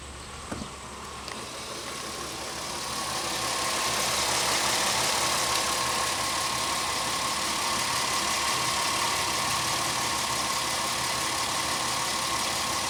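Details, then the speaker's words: 2001 Pontiac Aztek GT after an oil change (old oil contained Seafoam): engine catches and settles into a steady, even idle with a light ticking hiss on top; sounds healthy, nothing knocking, though the oil pressure switch is faulty. "good here take a quick gander under here that's fine but it sounds good sounds okay"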